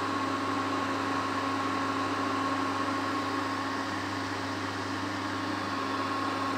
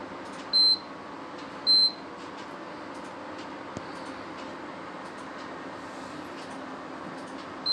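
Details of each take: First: Prestige induction cooktop after replacing the faulty high-voltage resistor that caused E4 error: steady even fan hum with faint constant high whine, no beeping or cutting out; running normally. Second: Prestige induction cooktop with pot on, before repair: two short high beeps a second apart, a gap, another, no heating hum; not heating, showing E4 error.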